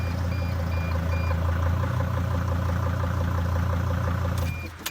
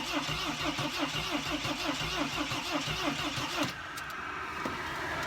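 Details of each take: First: Mercedes Sprinter diesel van being diagnosed for a no-start, started with the mass airflow sensor disconnected; steady, smooth low diesel idle with no misses and a brief clunk at the end. Runs normally without the MAF and throws no code. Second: Mercedes Sprinter no-start diagnosis with the key still inserted: starter cranks steadily about once a second, then stops without catching; earlier it started then quit with smoke; owner suspects mass air flow sensor or leaky injector, unconfirmed.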